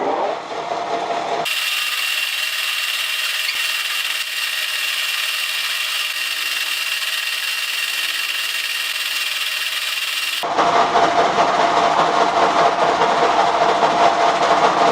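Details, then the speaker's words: 1K62 lathe boring Belarusian chuck jaws with a BK8 carbide cutter: a harsh, high rubbing hiss with a rough knock about every 0.6 s as the cutter skips on each jaw without cutting; cause suspected as a loose fixing ring or too shallow a cut. "The cutter jump on each jaw, like slip, and cutting doesn't happen"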